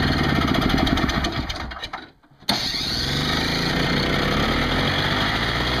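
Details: Craftsman 5hp 21-inch two-stroke snowblower after carburetor cleaning for fuel leaks and a new smaller inline fuel filter, primed on full choke with 20:1 mix, unstarted for a while: catches, briefly dies, then runs evenly and healthy, a little smoky.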